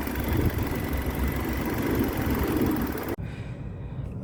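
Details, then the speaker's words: 2005 Nissan Altima 4-cylinder with electronic throttle body, after a throttle body relearn fixed an idle surging between 2000 and 3000 rpm: steady, even idle rumble with no misses or stumbles for about three seconds; normal idle. "الحمد لله شغالة مظبوط. ما في مشاكل الحمد لله."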